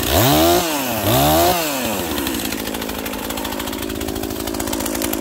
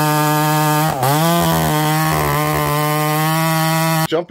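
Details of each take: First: Husqvarna 242XP small two-stroke chainsaw cutting a leaning tree in tight quarters: revs crisply between cuts, clean high snarl under load, no bogging; running strong and healthy. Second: Husqvarna 288XP clone chainsaw cutting very dry, hard wood at steady high revs, slight bog near one second; oiler not slinging enough oil to keep the chain wet, insufficient chain oiling.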